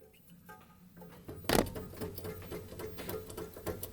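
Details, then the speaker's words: Chevy 327 V8 in a truck after 30,000 miles, engine off, belt stretching and balancer pulley walking: a sharp clunk, then loose rattling knocks as the balancer is rocked by hand, from a broken crankshaft snout. "that my friends is the sound of the snout of the crank that is broken in this mighty mouse 327."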